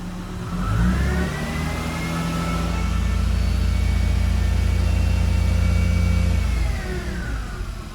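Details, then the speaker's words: 2001 Lexus ES 300 Coach Edition, revved with AC off: thin high whine rising and falling with revs over the engine drone; owner thinks it's an accessory, suspects the alternator going out. "yeah I don't think that's the engine I think that's an accessory I'm thinking the alternator might be going out or just"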